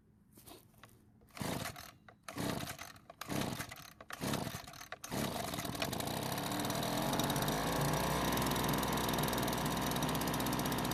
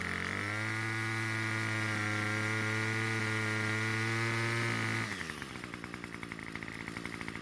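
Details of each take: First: Leaf blower, small two-stroke, at spring start-up after storage: a few pull-start tugs, then it catches and settles into a steady even high buzz with no misses; runs normally. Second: Two-stroke trimmer at spring start-up; high steady full-throttle scream sags into lumpy sputtering burble, fixed by turning L screw out about a third of a turn and H screw slightly: lean carburetor bogging.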